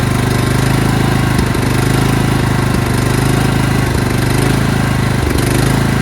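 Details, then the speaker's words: Craftsman LT2000 lawn tractor engine starts and runs fine, then after 10–15 seconds surges with an uneven hunting beat, gasping for fuel; fuel starvation, with old fuel line, fuel filters or fuel solenoid suspected. "And then after 10 or 15 seconds, it'll start surging, which means it's gasping for fuel. It needs fuel, but it's not getting it."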